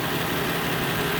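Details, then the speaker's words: 2012 Dodge Grand Caravan mobility van with about 1,000 miles, idling on a cold 37-degree day: steady, even idle with a smooth low hum, no knocks, misses or ticks; normal idle. "no signs of any visible damage on this thing it idles great no signs of any visible leaks"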